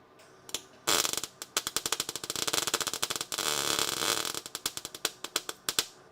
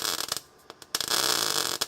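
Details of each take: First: Erratic sputtering MIG arc with sharp crackles and pops instead of a steady sizzling-bacon sound while welding a car's rear frame rail; the wire is burning through the metal too much, and stitch welding restored the sizzle. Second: There we go. That's the sizzle. That's the noise you want.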